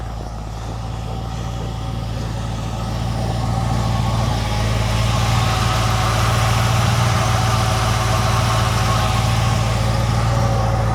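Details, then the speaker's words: 1940 Mercury first start with new 4-barrel carburetor and intake manifold, cold at -1 degree outside, stiff gas pedal; steady even low rumble at idle, no misses, temperature rising and good oil pressure. Normal idle. "but sounds good idling. It's like 1 degree below zero out here. It's working good though."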